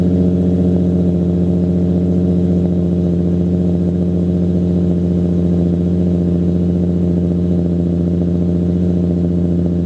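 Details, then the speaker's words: Nissan 350Z V6 at startup after replacing test pipes with Berk high-flow cats (not yet broken in): steady deep even idle with no rattle or misses, maybe slightly quieter and throatier; healthy idle, no interior noise. "it sounds actually the same volume I would say maybe a little bit quieter um a little bit throatier um no noise inside"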